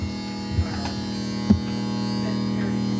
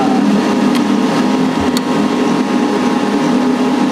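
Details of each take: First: Heil/ICP N9MDP furnace powered on, won't fire up: steady electrical buzz with no fan spin-up, the inducer motor stalled and humming instead of starting. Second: Heil/ICP model N9MDP furnace just after replacing the bad inducer motor, which had buzzed and kept the furnace from firing. Steady, even draft-fan hum without rattle, scrape or wobble; the new inducer motor runs normally.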